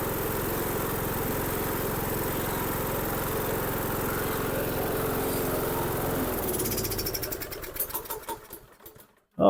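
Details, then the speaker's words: Dixon 2042 riding mower, 20 hp engine, 42 in cut, after clearing dirt from the carburetor main jet that caused a no-start, with a new fuel filter fitted: even, steady engine hum at a constant pace, then a clean wind-down to a stop, normal. "that's all I was wrong with it just must been a little piece of dirt that got in that Main Jet so that's good"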